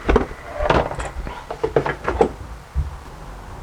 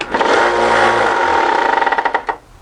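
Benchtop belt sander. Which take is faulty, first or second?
second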